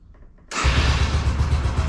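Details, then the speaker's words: Yamaha YBR125 at about 5150 km, cold start outdoors on choke before an oil change: fires and settles into a quick, even thumping single-cylinder idle with no misses or knocks; it takes 3–4 minutes to warm, rpm rising toward 4000. "сейчас будет прогреваться и по мере прогрева стрелка будет приближаться к 4000 где-то около 3-4 минут ему надо разогрев"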